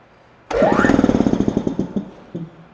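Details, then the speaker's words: Ingersoll Rand 7.5 hp two-stage reciprocating air compressor, 175 psi, on PGEN-50 unit, startup check: on/off switch bumped, motor whirs up then coasts down in slowing thumps, brief second tap; spins freely, correct counterclockwise rotation. "so you can see the motor turned in the right direction and we're good to go"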